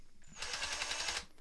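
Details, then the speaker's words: Ryobi 18V ONE+ cordless drill in screw mode at low speed, torque collar set: under load the motor noise jumps and a rapid, even clicking of about ten per second starts as the clutch slips at its torque limit. "That's the clutch activated."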